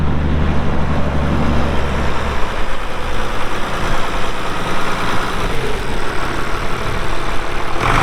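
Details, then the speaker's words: 1979 International 986 2WD diesel tractor, hour meter reads 2,321 (estimated about 3,200 hours), fired up for an operational check: heavy diesel fires and settles into a steady even chug, no knocks or misses; normal healthy idle. "Uh so like I said, here in a little bit, we'll fire it up, let you hear the engine. It runs great."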